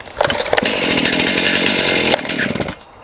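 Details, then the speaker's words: Stihl MS291 chainsaw, standard (non-M-Tronic) carburetor with restrictors on the adjusting screws, likely lean since new: catches with sputters, revs high and ragged, then fades and dies unless the throttle is feathered; lean running, poor idle. "It'll start up like this. If you're not playing with the trigger, it dies off. So this is what I'm running across, just a bit lean."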